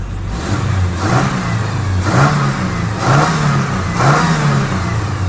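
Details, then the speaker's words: 1998 Ford Ranger after a new Walker cat-back exhaust install and the catalytic converter heat shield was clamped with vise grips: repeated blips rise and fall smoothly, with no squeak or hiss; normal exhaust note. "But Dr. Nick says it's whisper quiet. It's whisper quiet. Uh, let me rev it up. Let's see what happens. Sounds like a normal uh Ranger now."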